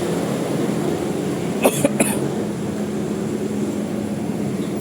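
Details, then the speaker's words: Toyota Revo 2.0 with AC on, after tightening the alternator belt tensioner, with the aircon tensioner pulley identified as the squeak source: smooth, steady low hum with no belt squeal or chirp. "Ayun nga, tensioner pulley nga ng aircon. Okay na, naka-aircon yan. Wala nang ingay."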